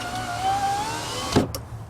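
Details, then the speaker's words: 2005 Mercury Grand Marquis power window motor bench-powered from a 12 V battery: clean whine rising slightly for about a second, then clunk at the stop; motor works, so the switch is faulty. "all I do is just hook up a battery like this the W battery it's 12 volt so it works put power to the window guess what it works no problem"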